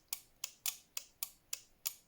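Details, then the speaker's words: 1989 Nissan Silvia S12 1.8 Turbo engine-bay relay bench-tested by applying power to the coil terminals: sharp crisp clicks, about seven in two seconds; the relay pulls in and switches normally. "and we are getting a click."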